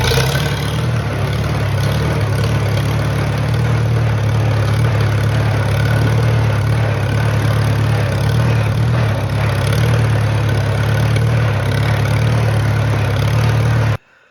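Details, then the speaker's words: Old tractor, hand-cranked for the first time after sitting over four years, gives a low, uneven chuffing idle with irregular beats; runs rough, owner suspects a carburetor or mud dauber issue, not confirmed. "I did actually hand crank this tractor for the first time after sitting for over four years but uh seems a little bit of a carburetor issue maybe a little bit of a mud gobber issue"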